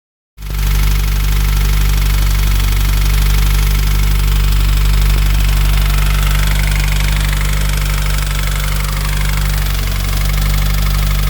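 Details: Subaru FA20DIT engine at cold start: steady idle with a quick, regular knock about four per second over the low drone; engine knock, cause unknown.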